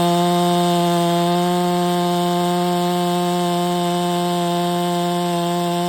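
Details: Stihl MS 660 chainsaw with a 32-inch bar, which would not hold idle before the carburetor and air filter were cleaned. Now there is a strong, steady high-revving buzz with no surging or dropping out, a healthy two-stroke running great.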